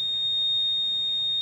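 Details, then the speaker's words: Honda Vision scooter smart key system with ID entered manually: long, high, steady beep as part of the warning pattern (long, short, short, long) because the smart key is not yet synchronized. "Thì đương nhiên chúng ta sẽ lắp lên nó sẽ kêu pít pít pít pít. Bởi vì chúng ta chưa đồng bộ."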